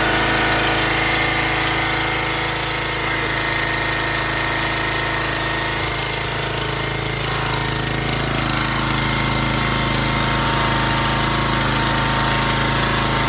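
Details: An MTD Yard Bug riding mower that sat for years runs after a spark check and a little added gas. It holds a steady, even single-cylinder drone with constant mechanical chatter and no misses or surges; it is running cleanly.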